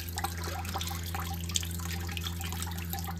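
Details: Mitsubishi inverter mini split outdoor unit heating in defrost mode on a rainy, humid Massachusetts day, coil icy: steady trickle and splashing melt water into a six-gallon bucket over a low even fan hum; normal defrost condensate runoff.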